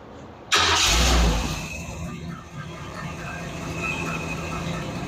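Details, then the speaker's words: 1947 Ford COE chassis swap, first start on a DIY engine harness after tightening the exhaust manifold-to-pipe donut leak: loud crank and flare, then a steady, even idle, just like on the engine stand. Normal idle. "Okay, just like how it ran on the on the engine stand."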